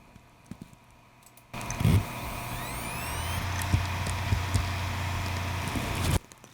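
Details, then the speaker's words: 1 TB hard drive with liquid damage, gasket dry: rising whine as platters spin up, then steady low hum with a few soft head clicks; successful normal startup, express test shows all sectors accessible. "okay whatever that sound was just now is the sound of successful startup after the unit is running"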